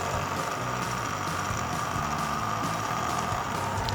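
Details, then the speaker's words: Older laptop during boot: a steady high whine with a constant airy rush and no change in pitch, though it still blows air; unclear whether something is caught in the fan or it is broken. Loud cooling fan noise. "I mean it's still blowing out air though but it sounds like it's going to explode or something"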